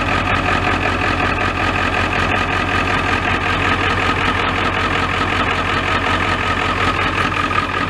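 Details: Ford F-350 XL 7.3L Powerstroke turbo diesel, very hard to start when cold, now warmed up: restarts easily and settles into a steady, even idle clatter with no stumbling or misfire; normal idle.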